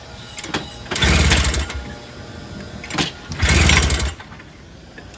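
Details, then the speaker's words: Toro GTS snowblower, 6 hp Briggs Quantum engine, started on starting fluid, float needle suspected stuck: bursts to a loud high rev, drops back, flares again, running unevenly; engine surging at high speed, needs rpm adjustment. "that's really revving really high i didn't expect it to start i didn't at all that's cool so we know we have a working snowblower just needs to shoot really an adjustment on the rpm speed that's all"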